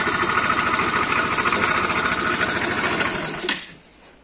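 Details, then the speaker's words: Italika CS125 scooter engine with reported noise: fast, fairly regular metallic tapping over a busy, clattery idle until it cuts out; connecting rod suspected, engine to be removed for inspection, not confirmed. "Así se alcanza la presión del ruido. Vas a tener que proceder a bajar el motor para poder revisarlo, porque sí es bastante ruido. Al mi parecer se escucha como si fuera la biela."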